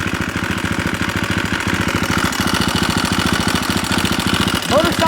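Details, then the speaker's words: KTM first run after long storage and no-spark fix: loud metallic clatter over fast even idle, busier than normal; owner suspects cam chain slack, manual adjuster may need tightening. "Loud, but it's got a Nihilo manual adjuster for the cam change, so I might just need to tighten that up."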